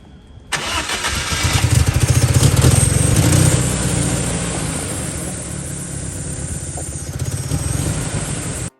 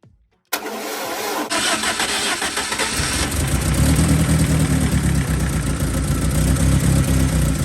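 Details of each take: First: BMW E30 with swapped four-cylinder M43 engine from an E36 cranks, starts and idles unevenly and lumpy; compression leaking into cooling system causing bubbles, middle two cylinders dead despite spark: rough running from blown head gasket. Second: BMW E30 with a swapped M43 engine, first start after the blown head gasket repair and new oil, with a thermostat-less housing fitted for flushing. Brief crank, then the engine catches and settles into an even, steady idle with no knocks or misses.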